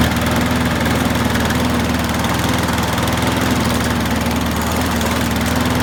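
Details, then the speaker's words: Qualcast rotary mower after carb gasket and diaphragm replacement and new Torch spark plug: steady, even putter at slightly low speed, possibly needing raising, no surging, misses or shaking; oil burning off after tipping; healthy. "So as you can see, it started up okay. I can hear the oil sizzling off a bit there. It's been tipped and that, so yeah, it's got to burn the oil off, but it was running okay."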